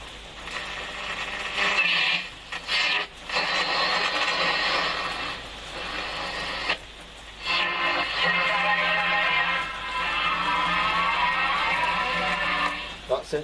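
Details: Murphy U198 valve radio after one component change; programme audio plays clearly with brief dropouts and light background hiss; normal radio playback.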